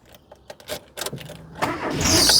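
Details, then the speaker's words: 1997 Rover 200 R3 K-Series, sat outdoors a day or two, cold start after immobilizer reset: brief high-pitched squeal over the cranking and catch; alternator belt squeal, owner suspects from sitting. "Oh, well, a little bit of alternator belt squeal there as well. That's probably because it's been sat in my garden for a day or two."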